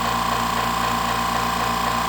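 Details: California Air Tools 10020C compressor (2 hp, 10 gallon tank, about 50 hours prior use) first startup nearing cut-out: steady even motor hum, clean mid-pitch tone, no knocks or rattles; running smoothly.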